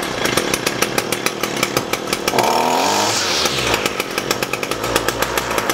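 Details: Echo SRM-225 string trimmer after diaphragm and air filter replacement and hidden jet adjustment: steady high buzz with even, regular firing pulses and no surging or stumbling; running cleanly.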